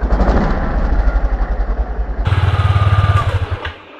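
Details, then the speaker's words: Yamaha Aerox scooter at low speed: buzzy loose rattle on each engine beat as the covered number plate vibrates against the rear fender. Fixed with added brackets widening the gap. "so the sound comes from here, guys, when we take the motorbike slowly, it will vibrate like this and it's really uncomfortable guys"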